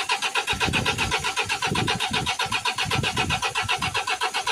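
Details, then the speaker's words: Mercedes Sprinter 2.1 diesel, code P008700: starter turns the engine over evenly, about four beats a second, but it never fires; live data shows zero fuel rail pressure, and a blown fuel pump fuse is found. "look at the fuel rail pressure there so there's no fuel oil pressure at all it's on zero"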